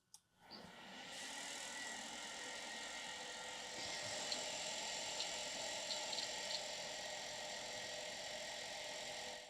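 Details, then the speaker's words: Quantum ProDrive LPS hard drive from a battery-damaged Amiga 3000, powered up: steady high whir with faint scattered ticks as it spins up; the drive is making an abnormal noise and may be dead, cause unknown. "it's making some kind of noise okay turn that off let's leave it spin down"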